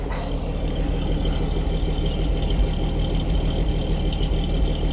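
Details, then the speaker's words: Ford D Series petrol six-cylinder fire truck started after sitting for years: smooth, steady, deep even idle on all six, no ticking, no smoke or exhaust leaks; lifter noise had gone away. "She's running on all six. She's running smoothly."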